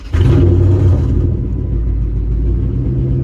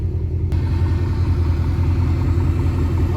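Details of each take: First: 2005 Chrysler 300C right after fuel pump and sending unit replacement, primed three times then started: deep uneven rumble with irregular beat; owner thinks it is in limp mode from unplugging the fuel relay while running. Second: 2005 Chrysler 300C 5.7 V8 idling after main fuel pump and sending unit replacement, out of limp mode; low, steady rumble with even beat, no misses, knocks or stumbles, fuel pump audible: normal idle.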